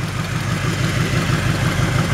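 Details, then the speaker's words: 1963½ Ford Galaxie 500 XL with a 289 V8, headers and cherry bomb mufflers, idling with a deep lumpy rumble and a faint puffing tick from an exhaust leak at the header collector donut gasket. "you can hear that exhaust leaks coming from that donut down there that donut gasket"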